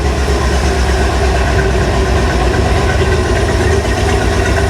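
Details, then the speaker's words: 1975 Bricklin SV-1 Ford V8 at about 800 rpm idle, after clamping and plugging vacuum leaks: deep idle with uneven lope and occasional skipped beat, way better than before; slightly rough idle with slight misfire, more vacuum lines to trace. "maybe that's just how Ford sound I don't know it seems like it's a little rough way better than it was"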